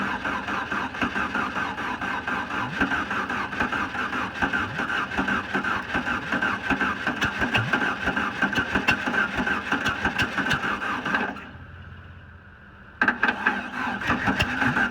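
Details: VW Bug with a newly installed starter and gas poured into the carburetor; steady cranking at about three turns a second with no firing, because slightly late ignition timing keeps it from catching.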